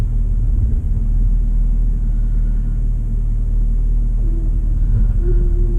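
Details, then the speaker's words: On a Suzuki SX4, after ignition coil replacement to fix choppy running and a misfire code, test drive: a steady, even low rumble with no stumbles or skips; the engine runs smoothly. "I don't know if you can hear that difference, but it is running really good so far."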